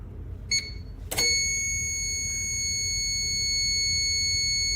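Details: New APC Back-UPS Pro 1500VA (BX1500M), a few days old, plugged into the wall and switched on; a couple of short high beeps, then a steady shrill nonstop alarm. Unit non-functional, with a crooked battery connector and suspected melted wires.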